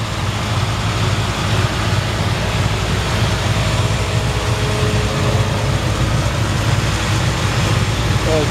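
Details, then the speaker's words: 1954 Ford F-100, hot rod restored, 302 V8 with automatic transmission, heard under the hood at idle: steady, even low rumble with regular beat and no knocks or misses; runs healthy. "custom done nice and clean under the hood you can hear the engine runs"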